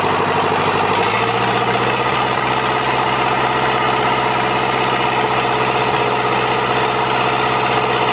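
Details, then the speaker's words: Toyota LandCruiser 40 series B diesel engine, first start after rebuild, fresh diesel through injectors, tappets not yet adjusted: smooth, even diesel idle with steady rhythm, no knocks or misses; normal idle. "so she's um she sounds pretty sweet doesn't it sounds real sweet"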